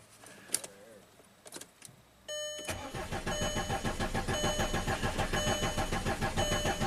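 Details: 2005 VW Passat TDI diesel under 200k miles, after a cylinder head and camshaft replacement; it ran 8 miles then quit. Steady, even starter cranking while purging air from the fuel system, but it never fires: crank no-start.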